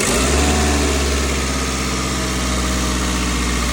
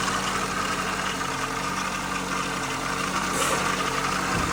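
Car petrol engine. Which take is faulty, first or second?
second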